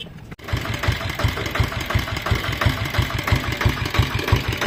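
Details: Royal Enfield Diesel Bullet 350 single-cylinder diesel after engine rebuild for piston slap, with new injector cup and homemade gasket: catches and settles into steady even thudding idle about three beats a second, no slap; healthy.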